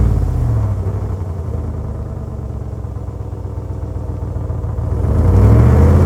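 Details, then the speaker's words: 2026 Ram with Borla muffler replacing the muffler delete: deep even idle rumble swelling at the end, no rasp or cackle; nicely toned, about 40% louder than the Pro XS, not stock yet not outrageous. "So I am much happier with that. It is nice and toned at idle. It does not have any rasp or any cackle, but it's got probably 40% more volume than the Pro XS did."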